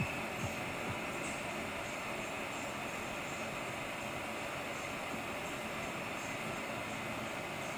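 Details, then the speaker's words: MacBook Pro with an external monitor and no apps open, dedicated GPU forced on: the fans run above 2000 rpm and the temperature exceeds 70°C. A loud, steady, rushing fan roar with a faint high whistle and no letup. "and so the laptop run colder and this is an example of how loud it gets"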